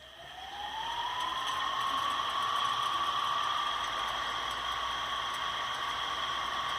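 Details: Ceiling fan that seized after water got inside, after bearing replacement with 6201 bearings: whir climbs then holds steady with only a faint light tick; running normally.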